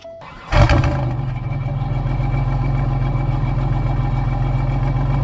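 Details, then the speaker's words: 1997 Grand Prix GTP after installing a new fuel pump assembly: brief crank, clean catch, smooth even low idle with no misses or knocks; normal start and idle. "All right, so the car is back to running like it's supposed to again, so I think I'm going to leave it at that for this vlog."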